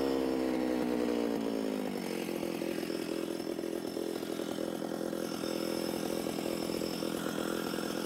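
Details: Alpine Magnum portable stump grinder trenching, third pass 8–10 inches deep, possibly wet soil; high engine whine drops sharply after two seconds and labours; engine bogging under load.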